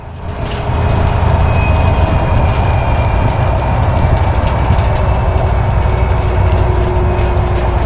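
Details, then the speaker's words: Rear differential while driving: heavy steady rumble with a faint hum; with gears intact, worn bearings in the housing are suspected, sometimes noisy only under acceleration. "A veces suele pasar que todos los engranes estén en buen estado pero exista un ruido al circular"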